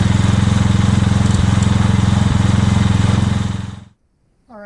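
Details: Revived old Scag hydrostatic walk-behind mower with a new carburetor and ignition coil: a smooth single-cylinder beat of about three pulses a second that dies away at shutoff. The engine runs perfect and healthy.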